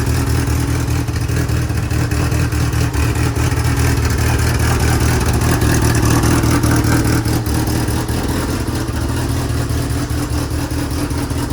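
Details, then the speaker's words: DSM build, run to inspect pump and belt: loud, even engine run holding a steady beat with no knocks or stumbles; normal running. "All right, perfect. So you guys can see that it definitely was working. Holy crap, it works."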